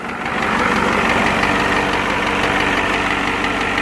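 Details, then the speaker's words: Ford 7.3 IDI turbo diesel with replaced injection pump and injectors, single-mass flywheel chatter, warming up at idle: sharp steady knock several times a second from number 7 cylinder, stops when its injector line is cracked; coolant and oil mixing noted. "But anyways, here's a clip of it knocking. Just gonna wait for it to warm up. So I have a pretty good amount of flywheel chatter because I got a single mass flywheel, so just try to ignore that."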